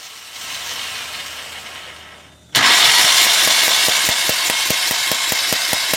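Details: Mahindra Maxximo common-rail diesel with starting problem, injectors removed and open for spray test after DRV replaced: starter turns the engine with regular compression beats a little over two per second; even cranking, injectors now spraying well.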